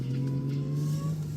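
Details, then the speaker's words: Supercharged Jaguar after replacing the coolant pipes with metal ones, coolant temp 192, on a test drive under acceleration: a steady whine rides above the engine note and climbs slightly. Normal, healthy supercharger growl. "You can hear that supercharger growl. Ah, PS, that is growling."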